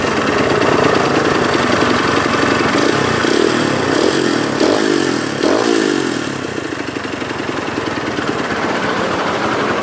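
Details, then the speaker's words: Kawasaki KLX150 single-cylinder idling with loud, rough mechanical clatter before bore-up; engine noisy, to be stripped and checked; connecting rod big-end knock. "kita akan lakukan bore up tapi sebelum kita bore up karena ini mesinnya berisik ya"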